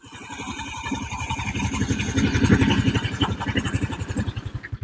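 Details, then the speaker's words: Honda Vario 110 carburetor (vacuum type, automatic choke) scooter after carburetor service, hot engine: even steady putter at idle, no misses or knocks; smooth, stable idle. "Kemudian untuk mesin ya itu kondisi halus Pak stabil halus untuk kondisi mesinnya Ya stabil halus"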